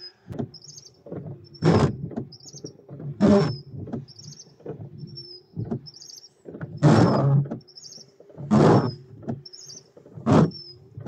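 Wipers squeak and chatter on every pass over drying glass because the arm is bent out of angle.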